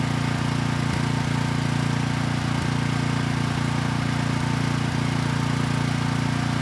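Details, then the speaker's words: Vanguard commercial-grade engine fitted to a Storm Responder generator, rebuilt after a loud knock traced to the counterbalance, not the rod: starts right up, steady even single-cylinder drone, no knocks or misses; normal running. "all right not too bad it started right up and the engine sounds good so I think we're ready to move on here"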